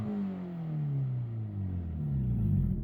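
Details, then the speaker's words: Loud exhaust on a rusty Hyundai Elantra with about 122,000 miles: deep, throaty rumble rising and falling with revs, like a hot rod, because the exhaust was cut out (stolen). "a little like a hot rod let me show you why folks hold on reason it sounds like that because of the exhaust somebody caught it out"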